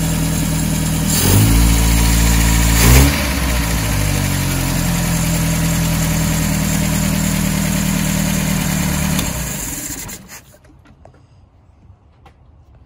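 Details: 1978 MGB after carburetor rebuild, after about 30 years parked: catches quickly, two sharp throttle blips, then a steady, even idle before switch-off; starts every time and runs cleanly.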